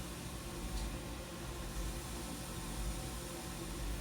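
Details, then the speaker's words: Refrigerator compressor just replaced and welded in, with starter, new thermal switch, cleaned condenser and new oil, before fitting a new capillary and filter: steady low hum with airy fan rush, no clicks or rattles; compressor and fan running normally. "And working the fan. Working the motor."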